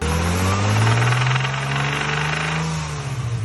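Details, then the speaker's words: 1998 BMW 323is, 2.8L M52 swap with S52 heads and cams, 5-speed: rough uneven rapping three or four a second over the revving engine; owner suspects rod knock, but it survived a track day and 300-mile drive. "so listen i've heard the noise you've heard the noise i'm pretty sure it's rodnock but this car has done a track day and a 300 mile road trip since the noise started"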